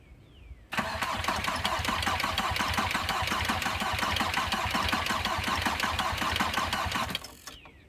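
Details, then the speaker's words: VW Passat B4 after a full engine rebuild, first start attempt while bleeding the fuel lines: sluggish, uneven cranking for six seconds with no firing because the battery is weak and needs charging; slow cranking from weak battery. "battery needs to charge batter is weak"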